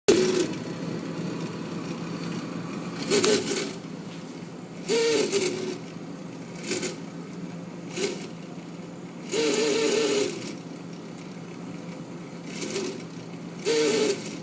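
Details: Freezer with steady low hum and recurring loud whining, rasping bursts every few seconds; noise remains after the ice maker was removed, so owner suspects the freezer itself, maybe the fan.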